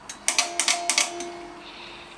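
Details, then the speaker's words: Homemade 8-track tape backup drive built from an old 8-track stereo and a SCSI tape drive, USB-controlled: quick run of sharp clicks as the head steps between tracks; normal operation. "so I can switch to track one for example you hear it go thking out its way through let's go back to track four you can hear this thing"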